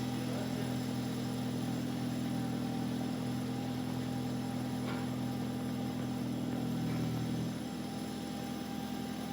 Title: Audi a4 transmission strange noise